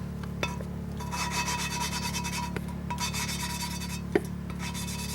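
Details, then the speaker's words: Valve lapping, coarse stage: dry, steady rasping scrape with short back-and-forth strokes and a light ringing tone as coarse compound cuts the seat, light downward force only, letting metal-on-metal action work. "you don't really need to apply a much downward force you're just letting that metal on metal action do itself"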